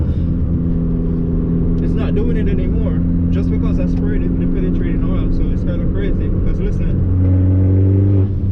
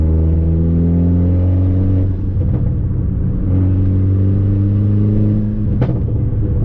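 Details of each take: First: Fiat Abarth with Forge blow-off valve, previously leaking boost with check engine light, under boost while feathering the throttle: engine pulls cleanly and rises smoothly with no hiss or whoosh of escaping air; boost holding, no leak. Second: Fiat Abarth with a Forge blow-off valve and a check engine light: engine pulls sluggishly under boost with a loud rushing leak, also heard on gear shifts; the leak bleeds boost so it never reaches target.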